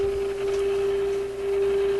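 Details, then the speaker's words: Grundig Type 238 W/UKW-I radio tuned to 800 on the dial, signal generator switched to a lower tone, after a capacitor change fixed it: single steady low tone, clean and unwavering with faint hiss; healthy audio output. "Right on the money. Huh. And you know that sounds nice and clear."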